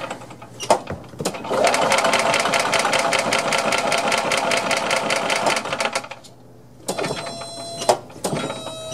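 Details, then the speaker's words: Long-stored Yamaha G2 gas golf cart, first start attempt with key on, gas pedal pressed, in neutral: steady even starter cranking about two and a half turns a second for four seconds, never catches; cranks but won't start, carb cleaner and spark checks planned. "all right so what next i think i'm going to take the air breather off and off the carburetor and spray some carb cleaner directly through and see if it'll fire off if not then we need to check for spark"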